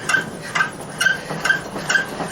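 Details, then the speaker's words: 1956 VW Beetle rear suspension with Porsche 944 rear suspension upgrades, cycled after dropping off the jack. Short thin high chirps about twice a second; dry bushings need lube. "the bushings need some lube. I'm gonna call that an excellent passing grade."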